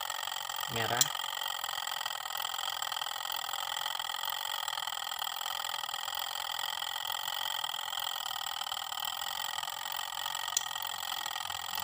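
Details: Sharp twin-tub washing machine that would not wash, previously worked on by a non-specialist; with the wash motor wired directly, a steady, even motor hum holds one pitch with no knocking or grinding, so the motor runs normally.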